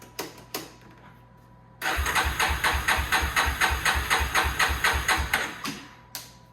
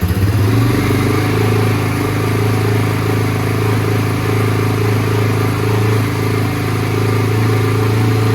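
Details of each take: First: 2001 Yamaha Warrior 350 ATV after sitting, choke on, fuel tap on reserve with a low tank: starter chugs evenly, about two compression strokes a second, for four seconds without catching; no spark suspected despite a 3-year-old stator and coil, not confirmed. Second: 2001 Yamaha Warrior 350 single-cylinder at 8 degrees outside, choke needed: steady even fast idle without misses, then shut off; runs normally after the stuck carburettor float needle was ultrasonically cleaned, idle still needs adjustment.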